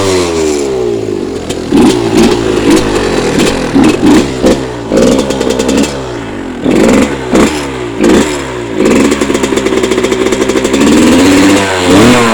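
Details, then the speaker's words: Yamaha YZ125 two-stroke, couple of hours on it, after draining water from carb following a no-start: crackling sharp revs catching cleanly each time; runs properly despite water in the fuel. "that's it got it running all the way with water in the fuel"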